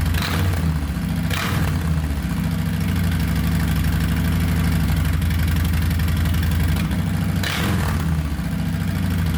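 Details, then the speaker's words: 2020 Harley-Davidson Softail Street Bob with newly installed Two Brothers Racing 2-1 Shorty Turnout stainless exhaust: deep, loud, loping idle with a few throttle blips, even firing and no knocks; much louder and deeper than stock, healthy V-twin. "Finally, Harley sounds like a Harley should from the factory. It is definitely a lot louder, a lot deeper tone, as you heard."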